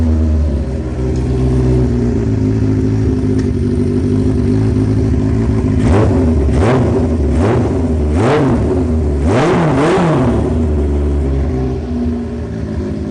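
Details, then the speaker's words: First start of a carbureted motorcycle, idle set to about 1300 rpm. Even idle, and sharp throttle blips rise and fall cleanly with no dying or sputter, though the owner first suspected a slight miss. Normal idle and throttle response. "And I mean, you heard it when I was blipping the throttle. There was no dying, there was no, you know, sputter or anything right off idle,"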